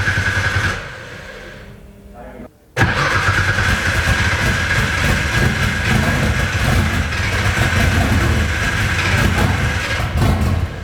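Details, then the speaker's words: RB26-swapped Nissan S13 on first start, just fuelled: the fuel system primes with a tone that deepens as liquid arrives, then brief cranking, a pause, and the engine fires into a steady, deep, even idle. "That sounds like it's getting some liquid. Yep, sounds better. Now it's getting a deeper tone to it."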